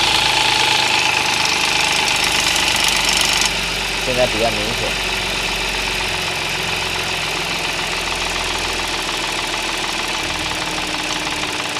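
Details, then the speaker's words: Audi S, cold start idle; two engine noises, rattling and croaking, obvious cold, not heard warm; fast busy metallic rattle that eases off. "发动机上面有2个声音。一个是啦啦啦啦啦啦啦的声音，一个是呱呱呱呱呱的声音。"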